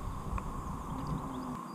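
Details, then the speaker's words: Trailer wheel hand-spun after replacing its worn wheel bearing: it turns almost silently, with only a faint low whir and none of the earlier bearing rumble or grinding. "maintenant en faisant tourner la roue on n'entend plus rien du tout il ya plus le bruit de roulement comme précédemment"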